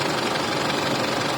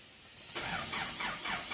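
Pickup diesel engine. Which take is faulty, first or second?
second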